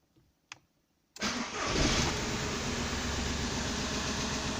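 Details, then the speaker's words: VW Polo 6N2 after ignition switch bypass with a start/stop button module, started by pressing the button with the pedal pressed: quiet click, short crank, engine catches at once and settles to a steady, even idle; normal start. "it's working and you need to press the pedal again to shut off"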